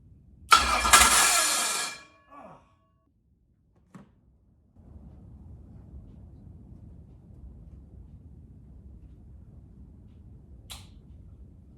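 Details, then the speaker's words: Ford 351 Cleveland 409ci 769hp engine on a run stand, 164-tooth ring gear, 3/4 inch starter on a bracket without bell housing; short strong starter whir cranking about 1.5 seconds, then stopping, engaging cleanly. "So I'm going to just turn it over, let it turn over, and then I'm going to hit the ignition switch and see what it does. I like it turning over."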